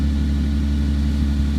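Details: 1998 Toyota Sienna at idle: loud, deep, steady rumble with little muffling as exhaust pours out the side near the muffler as well as the tailpipe; exhaust leak at the muffler.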